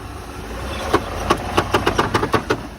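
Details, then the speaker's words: 2008 Ford F-150 with a flat front tire and front damage, started without a jump, creeping forward and backward: irregular light slaps, roughly three or four a second, from loose inside trim rubbing and hitting the wheel. "it's hitting on that trim that is inside, hitting on the wheel. And it does have a flat tire on it, but she is able to start up on its own, move it forward, move it backward. That was the trim that you heard hitting right there."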